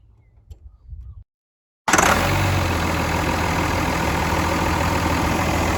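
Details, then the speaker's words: RAM 2500 Cummins diesel after a turbo rebuild, with the new turbo showing slight shaft play but spinning freely: it starts and idles steadily with a faint even turbo whistle, heard better with the cover off; building more boost than before. "Pop this cover. You can hear it spin a lot better. Building a lot more boost than it was."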